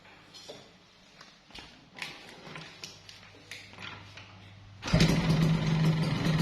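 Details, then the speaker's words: Yamaha RX King two-stroke at a quiet idle: a light, uneven tick two or three times a second, then a loud rev, a rattling top-end "kletrek" judged not normal. The owner suspects worn piston rings or another problem. "nah dan suaranya itu seperti itu ya bosku Jadi kalau gua sih kayaknya nggak nggak nggak nggak normal setia dari segi suara ngeletrek itu Enggak normal"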